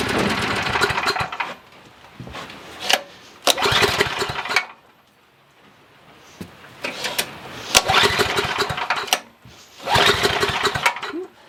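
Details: Coleman Maxa 5000 ER 5000 W generator, bought used with old fuel still in it: the engine catches and runs a second or two, then fades and dies repeatedly; it idles only briefly before bogging, starved of fuel by a dirty carburetor.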